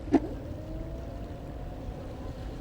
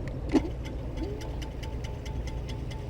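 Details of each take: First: FLJ T11 2,400 W electric scooter, rear wheel spun by motor after brake pad replacement (Avid BB5 pads): one click, then a faint whine winding down smoothly, no scraping or rubbing; rear brake running free. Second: FLJ T11 2400 W electric scooter after brake pad replacement, caliper being adjusted: a light, regular scraping tick as the free wheel spins over a quiet background; the disc rubs one or both pads.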